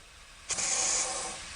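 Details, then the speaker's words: Porsche 911 Turbo 997.2 boost leak test: quiet, then a sharp steady hiss as pressure is added to the intake system; air escaping, bubbles found. "now i hear the leak and i'm going to spray we're looking for bubbles"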